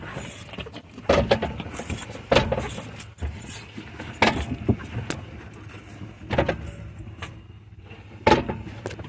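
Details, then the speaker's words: Cheap, rough manual Mustang on a jack with rear wheels spinning: loud, gritty clunks every second or two. The tight, intermittently locking rear differential is chewed up. "ooh red just walked it's really tight oo yeah that's uh differential see"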